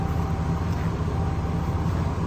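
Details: 2020 Ram 2500 Cummins diesel, bought at 5,000 miles, started after an oil change and fuel filter change: a steady, even diesel clatter and low drone at idle, with no stumbles or knocks.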